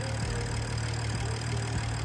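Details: BMW F10 after a no-code rough idle; owner suspects pollen in the cold air intake or a connector, intake cleaned: engine idles at a steady, even pace with a low hum and no stumble or miss; idle seems settled.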